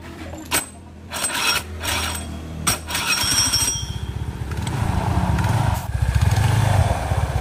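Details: Suzuki Nex scooter with rough growling in the CVT area when throttle applied, smooth at idle: after a few knocks, fast rough running beat with low growl as revs rise.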